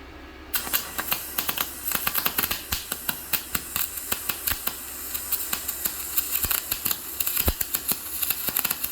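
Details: YesWelder MIG-205DS inverter MIG welding 3/8-inch scrap plate, maxed out at positive 10, argon pre- and post-flow: fast, crisp, steady frying-bacon crackle through the whole run; a pretty nice bead.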